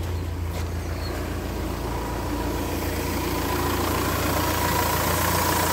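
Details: Renault Espace 4 diesel after repairing a fuel leak at the tank gauge seal and bleeding air from the lines: steady, even idle with a smooth rhythm and no hunting or stumbling; running normally.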